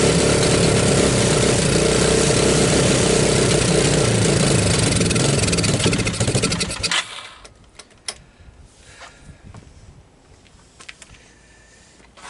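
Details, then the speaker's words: 1985 Suzuki Quadrunner LT230 shaft-drive barn-find ATV, cold, on starting fluid: single cylinder chugs unevenly about seven seconds, then sputters and dies; rough running and stalling, owner suspects a gummed-up carburetor not pulling gas properly. "Maybe if it warms up a little bit, she'll keep running. Well, I guess not. To me, it sounds like I got like a gummed up carburetor in here, right? I'm not pulling gas properly."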